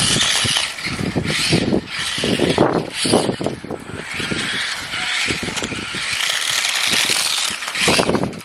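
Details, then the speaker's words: Restored 20-year-old Tamiya M-03L RC Mini Cooper, 2003 model, first proper drive test on tarmac after restoration, tyres struggling for grip; high motor and gear whir rising and falling with throttle, tyre scrabble, no grinding, normal running. "okay so it works so yeah very happy with how it drives so far"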